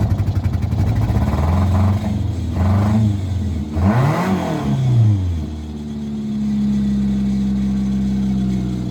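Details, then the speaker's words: Nissan Altima that wouldn't start, running after fuel pump work and battery fix: engine catches, revs up and down cleanly, then settles to a steady idle with no knocks or misses; running normally. "It would appear that it runs, so I got the battery fixed. And as you heard, the car runs."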